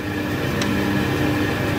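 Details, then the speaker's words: Schaublin 70/102 lathe headstock spindle with new rear angular-contact bearings and axial play adjusted: even, quiet motor hum with steady low tones, no rumble or knocking. Very quiet, extremely smooth running spindle. "So my machine is a little noisier, but I think this is very, very pleasing, very, very quiet, and extremely smooth running."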